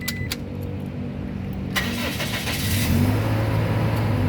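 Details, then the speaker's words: 2004 Toyota Kijang Innova 2.0 G automatic, 123,000 km: a few clicks, then the engine catches promptly and settles into a steady idle with no stumbling. A clean, crisp start. "pada saat kita Nyalakan mobil pastikan bahwa nyalanya itu jereng karena apa kalau dia nyalanya tersendat Berarti ada kemungkinan permasalahannya bisa jadi di akinya sudah soak atau di dinamo starternya bermasalah"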